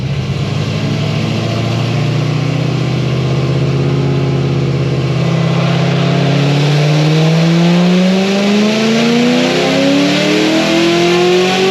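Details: ZR1 on the dyno on straight 93 fuel with DSX fuel system, after coil plugged back in and a little timing added: strong even full-throttle pull, rising note, no stumble or misfire.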